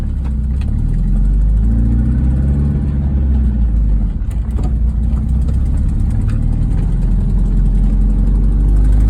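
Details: 1998 MGF VVC idling: light irregular ticking and a wavering squeal. Oil topped up without change. Exhaust manifold leak; tightening the manifold bolts removed the squeal, ticking reduced but remains.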